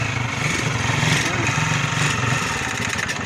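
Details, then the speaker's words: Honda TMX 155 motorcycle single at idle: uneven, clattery idle with loud mechanical rattle over exhaust beat; excessive engine noise, cause unknown, engine opened for repair. "Oh, maingay. Sabay-sabay na nga palang sira. Maingay mga idol, oh. Ingay, sobra."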